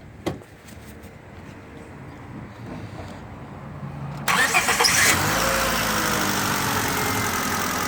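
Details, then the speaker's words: Car that had misfire codes P0300–P0304 on all cylinders after driving through deep water, now with cracked coil packs replaced: short crank, clean catch, steady even idle with no stumble or shake; it had shaken badly with poor power before. "nice that solved it the motor was shaking really bad and had poor power now it's not shaking at all running solid so uh i guess those coil packs are trash"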